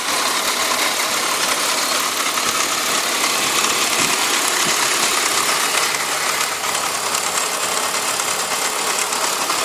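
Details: BMW E46 petrol engine idling with loose fast ticking over a bright hissy running sound; owner says the noise isn't normal compared with other E46s.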